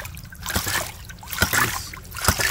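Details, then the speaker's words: Hydraulic ram pump after the sticky waste valve's off-center washer was replaced, running at about 30 PSI; the piston drops onto a rubber bumper with a sharp clack and splash roughly every 0.9 seconds, an even beat of normal cycling. "so this is the distance this piston travels so you can see this pump working pump"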